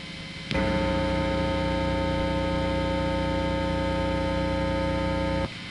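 A steady low buzz with stacked overtones jumps in and holds through the amp; classic mains hum from unshielded pickups.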